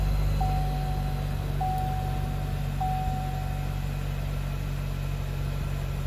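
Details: New 2022 Chevy Silverado LTD Custom 4x4, 2.7L L3B turbo four-cylinder, 8L90 8-speed: steady low even idle with no knocks or misses, a few soft chime beeps over it; healthy normal idle.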